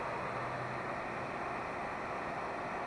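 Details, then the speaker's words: VW Vanagon T3 water-cooled blower fan, previously squeaking, after lubricating the shaft bush via a fuel line fed to it, at fan speed two: smooth, even air rush with no squeak; running normally. "this is how it's lubricated now you can hear there's no squeak and that's on band level number two"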